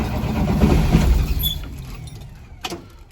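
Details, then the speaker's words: 2003 Blue Bird bus, International DT466E diesel, cold start at 11°F, not plugged in, unrun for about a week, after a shot of ether: steady cranking about four turns a second, catches briefly then dies; nearly fires. "Almost. Looks like we're gonna have to give her another little snort here. We almost had her."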